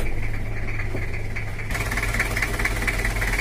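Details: Toyota Kijang LGX diesel idling with a heavy, uneven low thump about three a second and shaky idle; also power loss and 1–2 L radiator coolant loss per 30–60 km, cloudy coolant, after a seal replacement; cause not confirmed.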